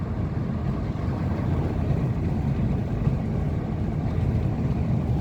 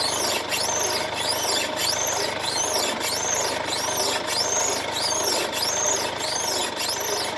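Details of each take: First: 2016 Mercedes-Benz C220d W205 test drive on rough road after replacing control arm with torn boot and lost grease, window down: only steady low road rumble, no chirping or squeaking; normal suspension on rough road. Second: 2016 Mercedes-Benz C220d W205, known underbody noise on rough roads, body rocked in place: sharp, high chirping squeak about every 1.25 seconds; worn lower control arm bushing creak, fixed by control arm replacement.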